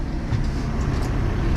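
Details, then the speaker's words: 2023 Arima Sea Chaser Ranger boat with a Yamaha F150 outboard: the buzzer sounded and it would not start until the safety lanyard was reattached; then it fires quickly and settles into a steady, even, healthy idle. "if you hear that buzzer and the motor won't start put that back on now it's going to take a second there fired"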